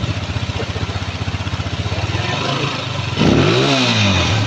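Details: Honda TMX155 single-cylinder engine after a rebuild for timing gear noise and oil consumption, with new base, side and cylinder gaskets and the valve cover refitted. An even idle beat rises cleanly into a smooth rev with no knocking or rattle.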